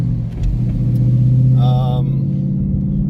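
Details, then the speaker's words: 2016 Mustang GT with ProCharger P1X stage 1 supercharger, tuned, after parts cleaned and reassembled following misfiring after drag strip use: steady, even low rumble with smooth clean rise in revs, no longer missing; normal idle and revving. "well everyone that seemed to have done the trick guy really put back together started it up sound good revs good"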